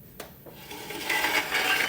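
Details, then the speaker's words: Electrolux EIMED60LT3 front-load dryer, drum turned by hand with top off: scraping metal-on-metal rasp because the loose top panel, missing two screws, sits on the dryer drum. "Okay. We hear metal on metal. And honestly, well, this panel is sitting on the dryer tub."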